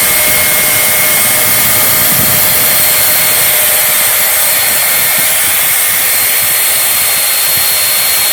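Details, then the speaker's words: Old bag-type vacuum cleaner with a small motor, repaired after humming, vibration and burnt-plastic smell, final test at full speed with no speed control: a high, steady, smooth whine with no grinding. No commutator sparking, motor healthy. "Так как здесь нет никаких регуляторов оборотов двигателя, все напрямую, мы сейчас получим максимальные обороты этого двигателя и увидим, что он способен сделать."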